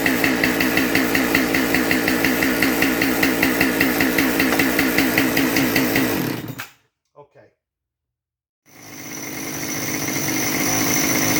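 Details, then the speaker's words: Husqvarna 572XP AutoTune chainsaw with high idle that won't drop: idles far too fast with rhythmic pulsing, cuts out, restarts and climbs high; good compression, carburetor or crank-bearing air leak suspected, not confirmed. "So anyway, let me get this thing fired up so you can hear what a high idle sounds like on a 572 auto tuner."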